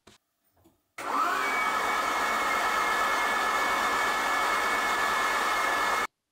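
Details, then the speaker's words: Citroën XM 3.0 24V barn find, unstarted for 20 years, cranked before first start: even, steady whirr with no strain or catching; engine not seized, starter motor working normally. "oh well the engine is not stuck the starter motor is working"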